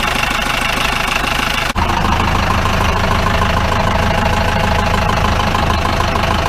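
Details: 1953 Mercedes 170D (W136) four-cylinder diesel, once-seized restoration project, at idle: sharp rattling knock about two and a half per second over the clatter, plus smoke; owner suspects shot injector nozzles, unconfirmed.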